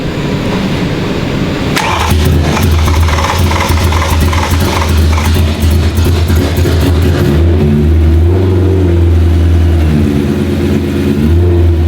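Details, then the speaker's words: BMW E30 M3 track car with a swapped S65 V8 and DCT, first start after nearly 3 years of building, no silencer fitted: the starter catches and the engine settles into an even idle with clean blips, deafening only from the open exhaust, a normal idle. "yeah it's pretty odd still with the exhaust so yeah so it's a little bit deafening"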